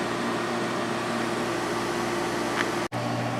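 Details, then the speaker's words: LG 8,000 BTU (2021, LG compressor, Broad Ocean fan) and GE 8,100 BTU (2014, Gree compressor, KB fan) window air conditioners both running: a steady, even hum of fans and compressors with no rattles; GE thermistor was relocated to stop short cycling. "compressor started back up on this one too there so they're both running again"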